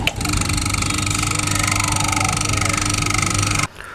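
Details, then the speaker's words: Cooler motor before bush replacement: steady hum with a rough, fluttering rattle pulsing about three times a second; worn motor bush shafts letting the shaft wobble. "तो यहां देखिए कुछ इसमें इस तरह की आवाज निकल रही है यानी जब भी मोटर के बु शाफ्ट खत्म हो जाते हैं या खराब हो जाते हैं तो उसमें इसी तरह की आवाज आती है"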